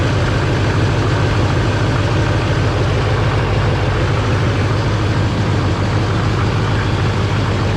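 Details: Duramax diesel in a parts Suburban, running on a battery borrowed from another truck: a deep, steady, even idle with no knocks or misses. The check engine light is on for the turbo vane position sensor and glow plug.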